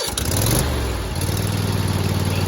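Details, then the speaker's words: Craftsman Z5200 zero-turn riding mower, started on choke with brakes on, choke then taken down: engine catches, revs briefly, then steady even low idle with no knocks or misses; healthy. "we're at idle."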